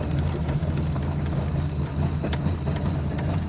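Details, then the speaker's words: Engine idle hunting and bouncing around during tuning, with cracker and follower idle-control functions both kicking in and interfering; deep, low idle whose pitch and loudness waver instead of holding steady; unstable idle. "so the cracker now is five the fourth okay so it's crap it's bouncing around a little bit"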